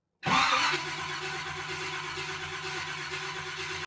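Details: 1970 Chevrolet Camaro SS 350 V8 that had sat too long on old fuel, fuel being pumped up to the carburetor before first start: steady cranking whir with a brief surge, never catches or fires; cranks but no start, cause unconfirmed.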